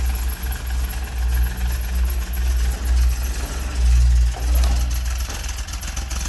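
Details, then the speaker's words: Fiat X1/9 with an advanced aftermarket cam gear, after increasing base timing, before final timing: deep, even rumble with slight rhythmic rise and fall and no misses or knocks; normal idle, the fault was insufficient base timing. "That sounds really nice. So that was the issue. Not enough base timing."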